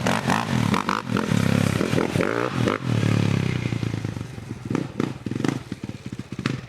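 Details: Stomp 110 pit bike broke after a jump: single-cylinder revs rising and falling unevenly with a scraping clatter on top; abnormal engine noise after the crash, cause unknown.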